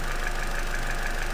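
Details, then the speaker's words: Car engine idling after its cooling system was refilled and bled with the heater set to hot: even low idle, steady thrum and faint high whine, no knocks or rattles; sounds all right, no leaks seen. "So, that's running. Sounds all right. Can't see any leaks or anything like that."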